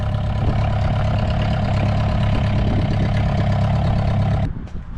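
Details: VW 1.9 mechanical SDI diesel in a homemade mini loader, first start after build, not fully cold (stored in garage): steady even idle clatter with firm low rumble, no odd knocks, then engine shuts off; normal idle.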